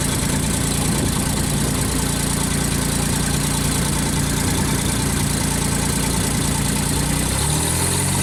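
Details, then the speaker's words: JLG baby scissor lift engine with new starter and battery and original crank sensor, fresh start warming up: steady, even idle at about three beats per second with no knocks or misses; starts and runs fine. "Crank it. Yes. Very good. We'll let it run for a little bit, warm up."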